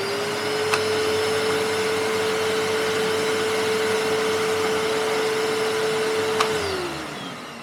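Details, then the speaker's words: Panasonic MC-E468 vacuum, free used unit left stored in a shed, running during beater bar belt check: steady even motor hum, no slapping or squeal, then winds down; brush bar and belt running normally, belt not coming off. "you just see it as it slows down let the belt spinning around wow that's pretty cool that is"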